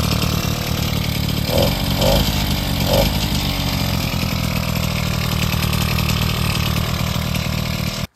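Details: Bullet Train BT80 two-stroke bicycle engine kit, first run after wiring and battery install: steady buzzy note holds even about eight seconds, no misses or knocks, then cuts out cleanly; normal running.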